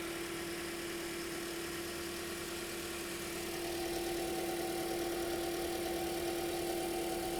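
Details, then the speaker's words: 2010 Toyota Corolla after radiator and coolant connector pipe replacement, warming up with heater on; radiator fan running on low speed: smooth, even petrol idle with steady fan whir over it; healthy warm-up idle. "And then it's also important, you know, not only do we want this hot enough that the thermostat opens and we are really circulating, we also want to let it run long enough that we turn the the radiator fan on just to make sure that this is plugged in and it's still going to turn on, which actually it's on low speed rig"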